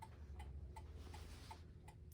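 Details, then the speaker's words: Gothic mantel clock with c.1960s Urgos movement, after tilting it to correct an out-of-beat tick; crutch adjustment still to follow: crisp, evenly spaced tick-tock at about 160 beats a minute with no limp; the clock runs in beat. "And I think you can hear a steady tick- tock."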